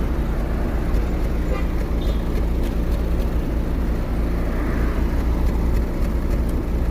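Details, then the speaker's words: Tailpipe of a car with 4th-generation propane system idling on gas: exhaust chuffs unevenly over a rough, shaking, knocking idle, a misfire that clears when switched to petrol. "Mana motor qimirlab ishlayapti, mana stuk bilan ishlayapti. Tekis ishlamayapti, bir tekisda."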